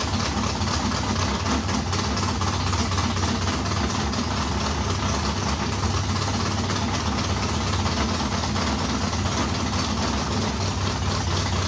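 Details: Race modified V8 first start after months of work, new Edelbrock fuel pump: deep lumpy rumble settling into steady idle, no knocking or misfire; runs properly, water pump gasket leaking on passenger side.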